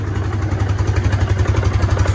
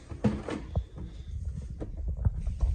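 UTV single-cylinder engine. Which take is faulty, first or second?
second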